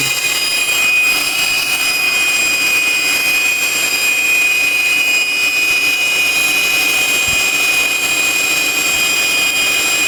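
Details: 2000 Acura TL idling after knock sensor replacement: steady piercing high whistle from the AC compressor side, no surge here; owner suspects a broken vacuum hose elbow causing a vacuum leak, not confirmed.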